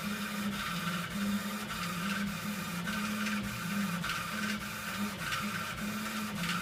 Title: rattle noise from epilog laser machine